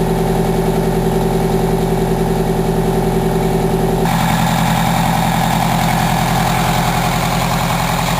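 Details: 1987 Wanderlodge PT40 rear-engine 8V92TA Detroit two-stroke diesel, after a cold start following about 5 months sitting, camera mic outside and overwhelmed: a deep, even idle with a steady rapid beat and no knocks or misses; runs healthy.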